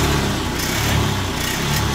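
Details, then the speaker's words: Honda Beat scooter with throttle position sensor error, 8 blink code: engine hesitates and sags off idle, cuts in and out at mid RPM and dies if throttle opened quickly. Faulty TPS. "Tapi ada kosongnya di sini. Nah, ini dia kosong, berbet. Dia enggak normal. Nah, sekarang dia putus-putus. Pada RPM tengahnya dia putus-putus."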